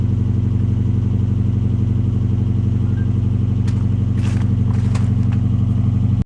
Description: Me starting up my mk2 fiesta 1.1 popular plus with the crossflow OHV 1.1 engine, takes abit to get it going but it'd been sitting in the cold for a week.